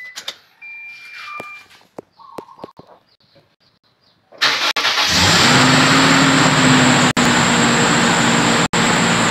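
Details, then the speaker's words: Car engine: a thin steady high squeal over the idle right after starting, a slipping drive belt; it disappears on its own after a few seconds up to a minute or two. "seperti yang teman-teman dengar ada bunyi berdecit ya Ini dia punya cicit yah"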